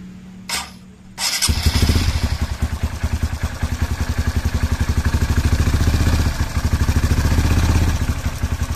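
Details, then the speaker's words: Honda CRF150 with a racing camshaft, gaskets replaced and the oil pump tested, first start after rebuild: catches on the first crank and settles into a quick, even single-cylinder thump with no ticking or rattle, smooth. "Halus ya suaranya teman-teman. Mantap."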